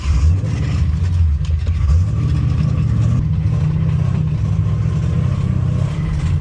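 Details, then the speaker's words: Ford Mustang on a Sebring track day, run with only 4.5 quarts of oil and low oil pressure: a rough, uneven rumble with a dull knock underneath; owner suspects a spun rod bearing. "Well, finally the engine gave out. Pretty sure I spun a rod bearing."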